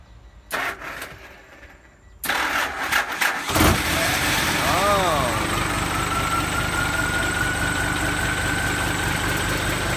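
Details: Start-up after fitting a new turbo (same brand as before) replacing one with a broken impeller, exhaust pipe refitted; cranks, catches and settles into an even diesel idle with a clean rising turbo whistle. Normal start and turbo whistle.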